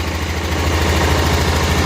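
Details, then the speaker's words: Barn-find 1988 Club Car golf cart, 8.5 hp Kawasaki engine, after mixture adjustment, idle still set high, governor spring damaged: steady, even idle with firm low thump and no misses or knocks; normal idle. "sounds pretty good if we drop the idle down more than that which we will"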